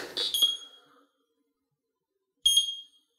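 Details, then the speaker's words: 3-wheel mobility scooter alarm: drive lever or brake held while turning key gives third error code, slow single beeps about two and a half seconds apart; clears once lever is released. "gonna give you a third error code very slow that just wants you to let off the brake or let off the drive when the device is operating"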